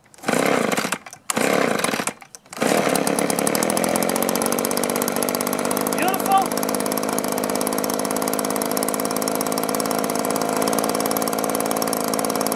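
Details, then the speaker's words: Echo two-stroke leaf blower after repair (gummed primer bulb fixed, spark arrestor clear, piston and cylinder unscored), choke off: blips clean, then holds a steady high-pitched run with no surging; normal running. "so I'm gonna run it for a little while make sure that problem's taken care of but it sounds great right now"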